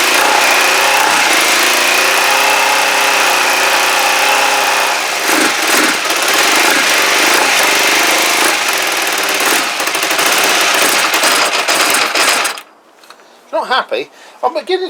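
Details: Kawasaki GPZ500S twin, carb vacuum port blocked: lumpy wavering idle about four beats a second with surges and stumbles, then it dies; vapour seen, possibly unburnt fuel; owner suspects carburettor, doubts timing. Rough running, cause unconfirmed.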